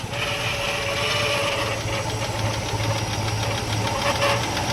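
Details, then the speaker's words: 1980 Rover SD1 Buick-derived V8 revived after 18 years, warm with thermostat opened at 160, idle turned back down: steady even burble, no misses or knocks, light valvetrain tick; normal smooth idle. "Look at that. Get in a close-up of how smooth this thing's running."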